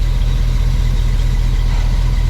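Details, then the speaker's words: Suburban V8 with new bolt-on Evil Energy 600 CFM carburetor, first-hit start, about 6 psi fuel pressure, no leaks: deep, steady constant idle with no stumbles, ticks or hunting, idling smoothly. "But you see, I mean, it bam, it fire. I cycled it four or five times."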